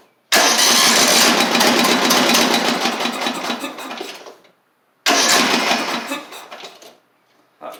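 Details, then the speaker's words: Craftsman LT3000 lawn tractor engine with a new battery, intake tube and carburetor fitted but no fuel hooked up: two long bursts of slow, even chugging. It cranks lazily and never catches; something is rattling inside and the engine is suspect. "good now it doesn't sound like it's got any RPMs which is all right y'all something ain't right about this"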